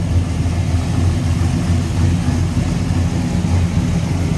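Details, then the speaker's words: 1957 Chevrolet Sedan Delivery street rod carbureted V8 with headers, hood open: steady, even low burble at idle, no misfire, tapping or knock; healthy, smooth. "i said definitely healthy sounding engine that headers on smooth there sounds good"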